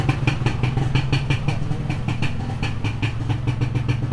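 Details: Modified Yamaha 125Z two-stroke: quick, even popping beat at idle with a deep, steady exhaust and no misses or stumbles; running cleanly.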